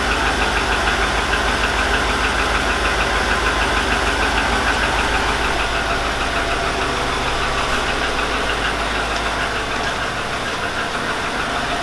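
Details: 2002 Chevy Avalanche 5.3L, idling after start-up, smells rich: steady deep knock about twice a second over the idle, from low in the engine; owner suspects piston slap or lifters, not confirmed.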